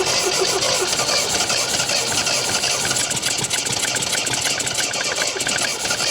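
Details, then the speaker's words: 1974 MGB GT, sat unused 29 years, firing order corrected to 1-3-4-2, choke applied: uneven stumbling ragged idle with sputtery firing that won't settle; lost compression on a cylinder and fuel starvation suspected, petrol leaking; rough running, unconfirmed. "yeah it's like starving itself for fuel once it gets going okay uh stop for a second john you know what i'm i'm concerned about the fact that it sounds to me like it's losing compression"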